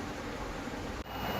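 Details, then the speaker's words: LG front-load washing machine after replacing the drum spider, oil seal and two bearings to cure drum noise, spinning at full speed, 1000 RPM. A smooth, even whoosh with no rumble, grinding or knocking. Normal spin after repair. "हो गया रेडी, अभी चल रहा है पूरे 1000 RPM में full speed पे, कोई नॉइज़ नहीं आ रहा, मस्त चल रहा है एकदम बढ़िया से।"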